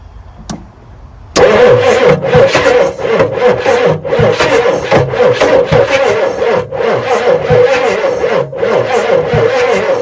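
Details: 1986 Ford F350 with 6.9 IDI diesel, sitting 5 years, no working glow plugs, no oil pressure shown, cranked on ether: starter turns about three times a second, labouring and uneven without firing; slow cranking from a weak battery.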